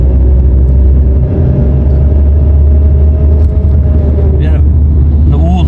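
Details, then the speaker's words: Nissan Primera P11 manual gearbox; loud low drone with a steady mid-pitched whir, heard when the clutch is pressed and stopping on release and in gear; worn gearbox bearing, water had got into the transmission. "Bakın şu an 3 viteste bıraktım akışına hiçbir ses yok ayağımı debre basayım sese bakın şıkır şıkır şıkır şıkır debriyajdan çekiyorum Yine ses yok"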